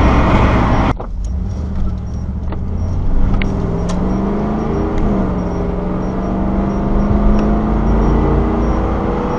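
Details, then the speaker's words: 3rd-gen Camaro with a 305 TPI V8 and an adapted replacement EGR solenoid, moderate acceleration: a clean, smoothly climbing engine note with no knock. No code 32 so far. "there should have been plenty of time uh for a Cod 32 to set if was was going to and so far so good um driving"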